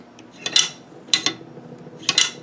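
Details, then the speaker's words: Swiss K31 receiver, cleaned, inspected and lubed, dry-assembled without firing pin, cocking stem, mainspring, magazine release or bolt release: three crisp metallic double clacks about 0.8 s apart, no grit or scraping. The action cycles freely and smoothly. "See if there's anything going on in there that shouldn't be. Hear that? That's beautiful."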